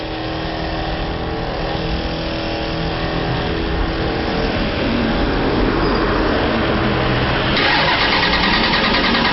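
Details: Engine cranked at 38°F in mid-December: steady starter cranking around three beats a second with only a faint sputter, never firing; it won't start on its own below about 50°F.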